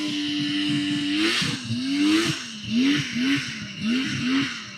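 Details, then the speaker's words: Vintage TX340 twin two-stroke snowmobile on its first passes of the year at a fall shakedown; revs rise and fall with each pass, crisp and clean once on the pipe, no misfire; normal running under load. "sounds good one it once he gets up on the pipe"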